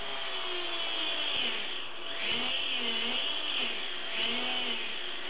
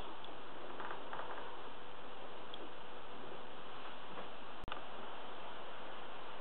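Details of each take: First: WLtoys V949 quadcopter after laser blade balancing, sounding sweeter: high steady buzzing whir swelling and dipping with throttle; residual whir, unsure whether from the prop or the gear train, may need silicone spray. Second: WLtoys V949 small quadcopter after balancing its propeller blades with a laser-dot method; steady, even buzz from the small geared motor and prop with no wobble, sounding much sweeter, laser dot barely moving.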